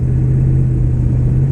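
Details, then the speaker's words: Ram Hemi pickup bought at auction, driven under hard throttle with a transmission that won't shift and no warning lights: deep drone with heavy, rough rod knocking beneath it; engine knock under load. "yeah she's got a rod knocking heavy heavy and a transmission that doesn't shift"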